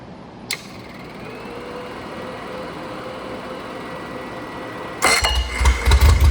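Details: Freshly rebuilt Triumph Spitfire/MG Midget 1500 engine: shaved head, flat pistons, 270 cam, enlarged intake valves, double timing chain, new rocker shaft and bearings. Steady, even idle with no knocks or ticks, then crisp revs; 80+ psi oil at start-up, 190 psi compression: normal running.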